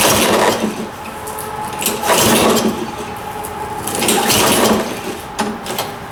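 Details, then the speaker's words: Toro 22" Recycler FWD lawnmower, just refilled after being run very low on oil, on its first pull-start try: repeated rope pulls about every two seconds spin the engine briefly but it never fires; no start, later started with starting fluid. "okay so no start there let's see if we can pass the spark test"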